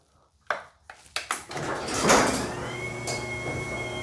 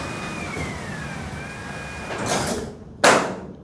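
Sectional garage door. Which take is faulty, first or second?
first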